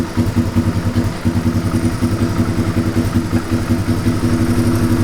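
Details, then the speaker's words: 1997 Suzuki DR350 single, long plagued by unsteady idle and backfiring (owner suspects electrical ignition-timing fault, CDI checked), now idles far steadier than before: even low thumping with no misses or pops; steady idle. "it's pretty interesting that's a lot more steady than it ever was before"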